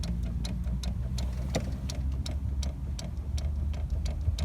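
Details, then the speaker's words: Lada (VAZ) steering column clicking while driving: crisp light ticks, about three a second, over low road rumble, also when the wheel is moved up-down and side to side; the horn contact ring inside the column rubs, column cover to be removed. "Я думаю, на видео было слышно, как бы такой, как щелчок. Когда вверх-вниз руль телепаешь и в разные стороны. Это здесь идет такая тема, короче, она передает контакты на сигнал, на руль."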